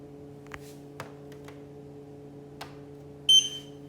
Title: Xiaomi Mi Air Purifier 3H problem z czujnikiem/ strange noise, problem with the pollution sensor.